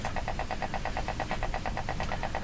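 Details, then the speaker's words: Canadian Spartan Model 5542 tube radio motorboats, a regular putt-putt of about eight beats a second over a low hum; touching one part changes it, fault not confirmed. "these are the main filter capacitors here um if these were not working well at all I think we would hear a hum along with this popping but maybe not anything else sensitive"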